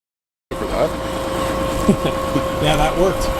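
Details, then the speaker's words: Bus air compressor after clearing ice, holding at 110 PSI: steady even hum with air flowing into the airbags and other tanks, no stutter or leak hiss; normal air system filling. "that's all that was CLA the ice you can hear it filling the airbags and the all the other tanks that's all it took"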